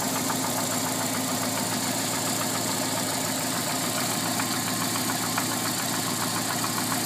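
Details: Alfa Romeo 145 1.6 boxer at idle: quick, light ticking of a few per second, steady over the run; source not identified.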